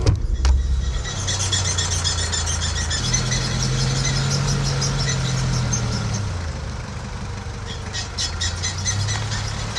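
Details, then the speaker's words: Squeal the owner has heard since Greece during a 4x4 trip across Spain: a steady low squealing drone over the engine that rises and falls with load. It is louder with the clutch pressed and present after releasing the clutch at low speed. The cause is unknown. "en gros, quand j'appuie sur l'embrayage, ça fait plus de bruit. Et dès que je vais relâcher l'embrayage et que je vais à une petite vitesse, et ben ça fait ce bruit-là. Et je ne sais pas ce que c'est."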